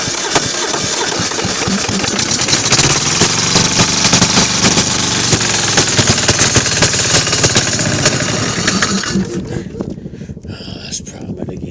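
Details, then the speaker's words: Kohler KD425-2 two-cylinder diesel in freezing cold with a broken exhaust: uneven firing at about four beats a second that falters and dies away. Hard starting; the owner suspects cold fuel not flowing through the filter, unconfirmed. "I can't believe this. The thing's never been this hard to start."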